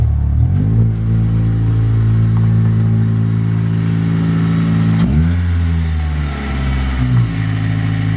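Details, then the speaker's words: Acura RSX Type S with a new full Spec D cat-back exhaust, joined where it was cut and held by 2 of 3 bolts, so a leak is possible; deep, clean revs held then blipped, no rasp or rattle; healthy aftermarket exhaust note. "Honestly, I like it a lot. It's really deep toned. It doesn't have a lot of ricey sound, if that makes sense. I was expecting it to sound a lot more ricier for what it is."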